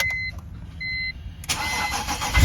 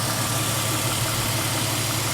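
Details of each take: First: BMW E46 petrol six cold start on a freezing morning: brief chirp from frosted new belts, then rough rattle while oil pressure builds, believed to be a worn main timing chain tensioner spring after high mileage. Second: BMW E46 petrol engine idling after timing chain tensioner replacement to fix a cold-start rattle: steady low hum, even note, smooth, no rattle or knock.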